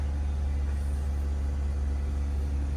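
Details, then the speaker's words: Dodge Charger after fuel pump replacement, heard running with the rear seat up: the fuel transfer pump gives a steady, even low hum with no surges; normal operation. A check engine light is on, cause not yet checked. "Oh, you can hear, actually with the seat up, you can hear the transfer pump doing its thing there."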